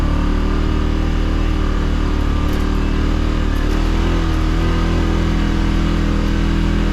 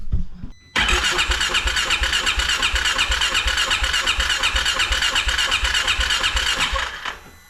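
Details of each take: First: 2016 Polaris Ranger 570 on test drive, rear diff locked, accelerating off-road: steady low engine drone, even under acceleration, no knocks or misses over tyre and terrain noise; healthy running. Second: 2016 Polaris Ranger 570 with hard-start complaint, battery strong: steady starter churn about three beats a second, never fires; crank no start.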